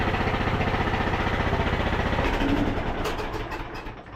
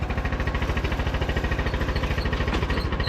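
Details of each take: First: Craftsman T1000 (MTD) riding mower: the small single runs at a fast, steady beat of about four pulses a second, firing smoothly and sounding better, but with a loose marble-like rattle. It is loud, though no muffler leaks were found; earlier it backfired on throttle-down. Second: Craftsman T1000 MTD riding mower single-cylinder engine, needing valve adjustment or carb cleaning: loud steady thump about 2.7 per second with small pops and sputters when throttling down; backfire from tight valve clearance.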